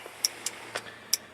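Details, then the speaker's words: RB25-swapped Datsun 240Z, key out, 30 amp main fuse plugged in: sharp dry uneven clicks, three or four a second, engine off; ignition relay clicking on and off as voltage cycles 2 to 11+ volts from an electrical leak. "this is the ignition God guys sorry I knew better than to do that but well this isn't working ignition relay going over and over and over"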